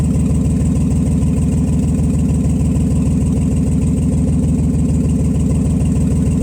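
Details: Nissan Z31 at its first start after rebuilding the injectors and fuel rail components, with exhaust leaks present: low idle with a steady repeating stumble a couple of times a second. Persistent idle misfire, cause still unknown.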